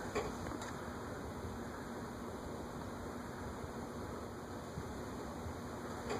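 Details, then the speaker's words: Casablanca Four Seasons ceiling fan, model CB-4444, 3-speed, on low via pull chain, drawing 0.2 amps: a soft, steady hum and gentle airy whoosh with no ticking or wobble; normal low-speed running. "I've always admired that the pull chain Casablancas, being 3-speed, have such a classy low speed."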